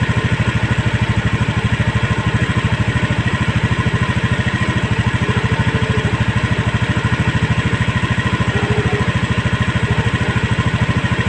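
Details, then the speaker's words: Honda Scoopy eSP scooter, idle raised to a stable 1600 rpm via the throttle body air screw to fix non-working idling stop; even steady fast-idle thump with no dips; normal idle after adjustment. "putaran stasioner nya sudah stabil di angka 1600 Sekarang kita coba lagi buat Jalan Apakah sudah bisa berfungsi idling stop nya"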